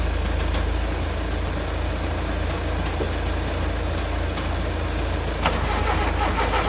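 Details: VW Mk2 Golf petrol engine, unrun for 20 years, cold morning around -2°C: long steady churning crank at about three beats a second that never catches; fuel had been leaking out, making it hard to turn over.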